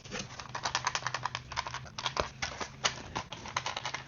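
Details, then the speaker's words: New cooling fan assembly for 2012-2018 Jeep Wrangler JK, replacing fan blamed for gurgle, spun by hand: only light uneven ticking rattle from loose clips; fan itself quiet and smooth. "Yeah, there's little clampy things that are rattling. But the fan itself, yeah, these little clampy things here, they're rattling. Nothing from the fan though."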